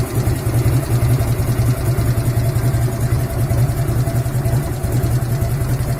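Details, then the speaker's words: 1997 Harley-Davidson Road King Classic, rebuilt and tuned Evo V-twin, idling with a loping beat and a hard metallic clank on each firing pulse. The knock appears after 5–7 minutes near the camshaft and grows louder as the engine warms; at first it was heard only at idle. "интересное что он вроде как присутствовал только на холостых"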